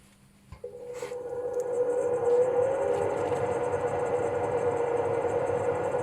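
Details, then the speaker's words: Swegon Casa W80 heat recovery ventilation unit after cleaning dirt off the fan impeller, cleaned motor run alone; slight hum at switch-on settling into a smooth, even whir: normal running. "при включении есть немного гудения да это со временем пройдёт на мой взгляд очень достойно"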